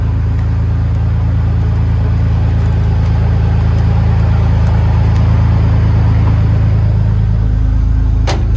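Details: 1951 Ford F1 body on 2001 Ford Ranger V6 chassis: strong, deep, even idle holding steady without miss or knock; healthy normal idle.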